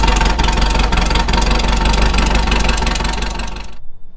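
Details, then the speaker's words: VW Beetle air-cooled engine after replacing the knocking old alternator and fan and fitting a Scat serpentine belt system: steady even putter without knock or tick, then clean shutoff; runs and charges normally. "All systems are good. She runs, she charges."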